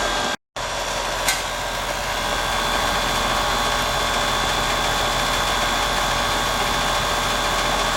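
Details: About 6-year-old heat pump running in heat mode on a cold day after replacing a rotted liquid line drier and recharging: even compressor hum with constant tone and fan rush, no rattles; suction near 61, acceptable, recheck on a warm day.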